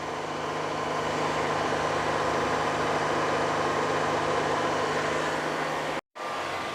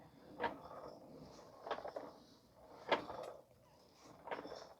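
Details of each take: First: 2013 Honda Odyssey 3.5 L, wheels spinning at a steady 60 km/h in gear, checking for bearing noise felt at the strut: smooth, even hum, no growl, rumble or cyclic grinding; normal wheel bearings. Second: 2013 Honda Odyssey with newly installed tires and highway shaking: soft, uneven thuds about once a second as the wheel turns; a loose broken piece is rolling around inside the tire.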